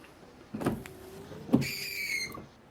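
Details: After the bent wiper arm was straightened, two quick wiper passes over wet glass are a smooth swish with no stuttering chatter; the juddering noise has disappeared.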